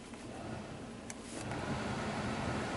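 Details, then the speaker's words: 2003 Chevy Silverado 1500HD: cabin blower kicks on and off by itself with nobody touching controls, and stays on after the truck is shut off; erratic blower from a faulty blower control module. "you hear that it kind of kicked on kicked [Applause] off turn it off the blow does not turn off when you shut the truck off blower stays on"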